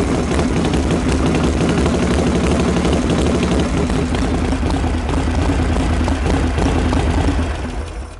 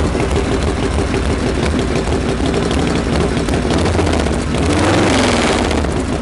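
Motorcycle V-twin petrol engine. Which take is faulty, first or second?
second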